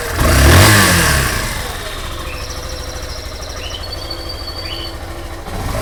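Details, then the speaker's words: Yamaha Fazer 150, recently bought, running on ethanol, started and idling with throttle blips; owner notices extra mechanical chatter under the idle, possibly normal for Yamaha, cause unknown. "tem um barulho meio estranho mas eu vou funcionar ela aqui para vocês poderem me dizer se isso pode ser normal ou não"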